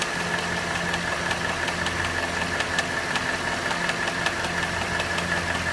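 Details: Cadillac Northstar 4.6 V8 at hot idle: sharp, light ticks about two or three per second above a steady idle, a valvetrain-type tick; intermittent clicking occurs only when hot.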